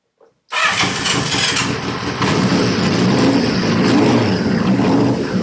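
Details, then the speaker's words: CB550 four-cylinder, long-sat project, restarted after tapping the overflowing number one carb: the starter catches quickly and it runs evenly and sweetly with no knocks or rattles. The carb is still overflowing. "right at least we don't run so i'm happy that's a result and it sounded sweet no nasty knocks or rattles there"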